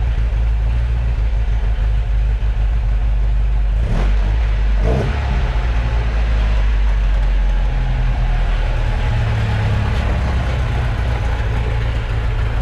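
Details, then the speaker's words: 1978 Alfa Romeo GTV 2000 (2-liter carbureted twin-cam) idling in a garage before the door is opened: a smooth, even idle with a brief throttle blip and no stumbling or misses; a healthy, normal idle. "Go ahead and start it up so you can hear the engine, and then we'll run through the lights."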